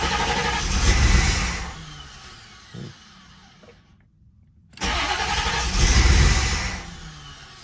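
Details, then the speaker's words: C4 Corvette first start after full reassembly, key at accessory to prime empty fuel rail; starter cranks steadily about four beats a second but engine never catches, stops and cranks again; making terrible noises, cause not yet known. "But now I just finished putting the C4 all back together and it won't start. Actually, it's making some pretty terrible noises."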